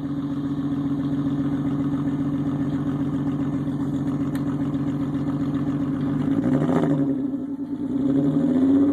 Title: Vr6 misfiring